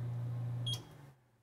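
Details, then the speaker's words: Bosch HDS-255/HDS-25 range oven bought in 2004 with no-heat fault, during diagnosis: low steady convection fan motor hum with one short beep, then winds down quiet; fan runs normally. "you know we can turn on the fan I don't know if you can hear that but it's running"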